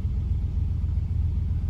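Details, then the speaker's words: 2007 Jeep Commander 4.7 V8, cold start right after replacing the idle air control valve, which had caused idle dips and stalling: a steady, smooth, slightly raised cold fast idle with no misses, expected to drop as it warms. "all right she started right up it's a little cold"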